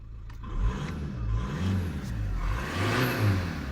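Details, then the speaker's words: Skoda Octavia 1.9 TDI BKC diesel, which stalls after about 20 minutes from a crankshaft sensor fault: low, even diesel rumble at start-up, rising and falling smoothly when revved, no knocks or misses. "The engine sounds great. I'll just fire her up."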